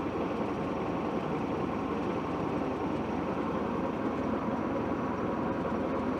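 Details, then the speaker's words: Mercruiser 120 hp four-cylinder in a 1967 Starcraft Holiday boat, idling after a brief throttle with over 70 psi oil pressure, water dripping from a leak; even smooth idle with no knocks or misses; normal idle. "Drop her down to an idle. She's idling real nice."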